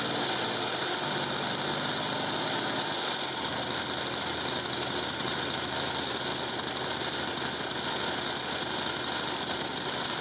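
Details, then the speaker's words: 1950s Ransomes Antelope Mk1 20-inch lawnmower, 98cc two-stroke, started with a drill: buzzes hard and raspy, uneven and won't settle to idle; very low compression, probably needs a new piston and rings. "okay that was quite scary doesn't want to idle let's try that again"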